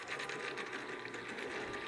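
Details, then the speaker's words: PD Racing Minitron 1/16 RC truck on 2S LiPo, run slowly after water rinse and GT85 spray: low-speed electric whir with rough, scratchy grinding; dirt and grit suspected in the drivetrain, freeing up as it runs. "just keep it running for a bit see if it cleans it out cuz I reckon we just got a load of dirt and grit in there"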